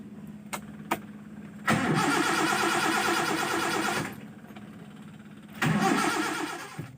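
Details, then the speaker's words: Engine hard to start, sputtering (brebet) and lacking power: two long bursts of cranking that never catch a steady idle; the fuel solenoid valve is suspected dead (coil magnet not working, needle staying shut) and its needle removed. "oke kali ini saya akan berbagi tips cara mengatasi susah di starter suara brebet dan kurang tenaga"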